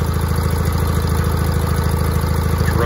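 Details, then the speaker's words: 1980 John Deere 317 garden tractor, twin, started in cold weather after an electrical fault repair with new ignition components: steady, even low thump settling into idle with no misses or knocks. Easy start, running fine. "you can just see what i mean about how easy it starts up"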